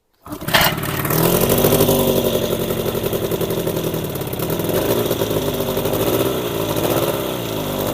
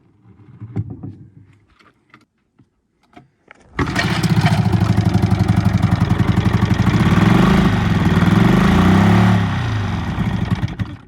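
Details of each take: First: Old Evinrude 20hp two-stroke outboard after its spark plugs were cleaned and gapped: catches quickly and settles into a steady buzz with slight speed wander, seemingly running on both cylinders with some cooling water flowing. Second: Old Evinrude 20hp outboard at first start during revival: catches and runs with an uneven, lopsided beat, firing on only one cylinder because of fouled spark plugs.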